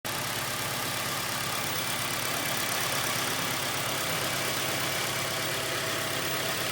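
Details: Honda EP3 with K20A engine at idle: a loose, irregular ticking knock about three times a second over a bright hiss. The source of the knock is unknown and the owner asks for help.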